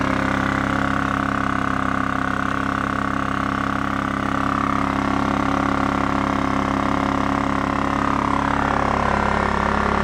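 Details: Scrapyard Honda EX650 generator running on new fuel, still smoking while the leftover premix burns out of the carburetor: steady, even drone with a constant hum, no surging, misses or knocking. Sounds healthy.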